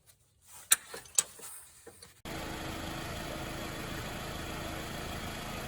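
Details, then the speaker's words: 2005 Scion tC, Toyota 2.4L, after overheating from coolant loss; new water pump, thermostat, radiator cap, oil and filter: after a few clicks the engine catches and settles into a smooth, even idle, no knocks or misses. Normal idle after repair. "okay if you can hear that motor running then uh you'll know our indicator of success"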